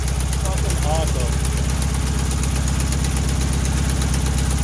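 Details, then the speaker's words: 1968 VW Bus camper, air-cooled engine, just revived after years of storage and a rear engine fire, with new wiring, plugs, points and condenser; carburetor linkage a little gummy: steady low thrum about 160 pulses a minute, no misses or knocks; clean idle. "but i think as you can hear this is running amazing right out of the box resurrected from the fire"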